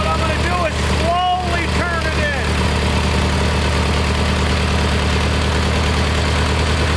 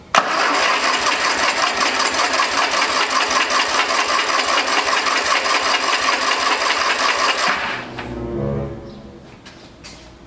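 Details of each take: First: Kohler Magnum 20 after a carburetor rebuild, mixture being tuned at operating temperature. Deep, steady single-cylinder thump at an even idle with no stumbling or hunting; mixture sounds settled. Normal idle. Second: Kohler Magnum 20 engine after carburetor rebuild and governor check: steady cranking about two and a half beats a second for seven seconds, never catching, then stops; it was out of gas, no fuel reaching the engine.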